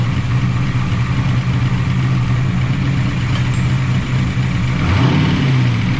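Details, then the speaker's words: 1988 Camaro IROC-Z V8 after replacing bad lifters that would not stay pumped up: steady, even idle with smooth low burble, no misses or ticking; idle could be slightly lower, may change with timing adjustment. "good idles come down finally probably could be a little lower was that might change when we do timing"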